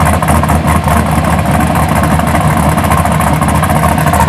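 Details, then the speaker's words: 1983 Buick Regal with fresh LS1 swap, MS3 cam, 5.3 truck heads, mid-length headers, dual 3-inch exhaust with SLP Bullets, TH400: loud choppy rhythmic loping idle from the cam, steady with no knocks; healthy V8. "Let me go ahead and let me crank it up for y'all and see. It's got a very nice cam in it. Sounds pretty good."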